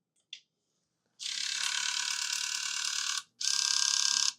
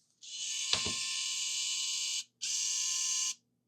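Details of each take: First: Nintendo Wii with a bad disc drive, cleaned of hair at the spindle and partly reassembled: rapid high-pitched ratcheting and grinding on power-up, the same sound as before. The motor spins freely. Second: Nintendo Wii disc drive after swapping in a working replacement part for one that spun when it shouldn't: loud, even high whir that holds, stops, then spins up smoothly; still loud but now sounds normal.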